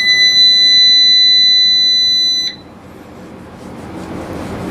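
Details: Anern 6.2 kW inverter under repair: a steady high-pitched buzzer sounds for about two and a half seconds then stops; low-battery cutoff warning alarm.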